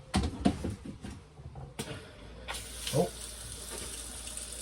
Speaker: there we go. We have running water.